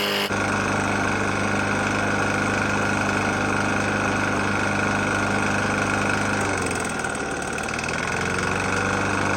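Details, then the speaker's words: Murray E450 mower, Briggs & Stratton engine, oil found nearly empty and topped up: a steady small single at idle with a rough, uneven tapping under the exhaust note; internal knock of unknown cause. "Got a Murray E450 Briggs on there. Engine's knocking pretty bad."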